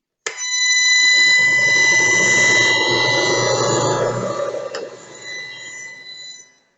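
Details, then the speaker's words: An electric motor on a frequency inverter with the PWM carrier frequency lowered from 5 kHz to 1 kHz gives a loud steady high-pitched whine with stacked tones around 1–8 kHz. The low switching frequency makes the noise audible. "em frequências mais baixas o ruído emitido por esse tipo de controle ele se torna audível Então não é bacana também deixar um valor baixo né"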